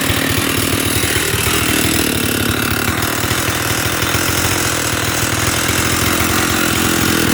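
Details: Stihl 048 Super chainsaw idling with a loose rattling knock on every stroke: bad piston slap from a very worn piston; new piston ordered.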